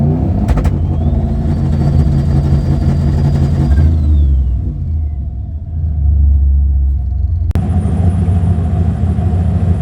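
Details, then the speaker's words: Gen 3 turbo LS Trans Am, manual, speed density tune via HPtuners, Lingenfelter LNC-003 two-step at 3100 rpm on clutch pedal with IAC relay: held at rev ceiling, choppy popping and banging building boost stationary; timing needs calming down. "i held it for as long as i felt comfortable popping and banging pretty good um i need to calm the timing down a bit"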